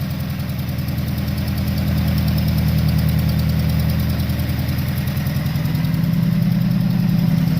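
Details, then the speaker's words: RX-7 with SR20VET swap, in neutral after letting go near 7,500 rpm redline: rough, lumpy low rumble pulsing about three times a second, heavy when revved; rod knock, not transmission, plus a missing cylinder, engine blown. "Well, we also have fucking rod knock. How about that? That's not my transmission."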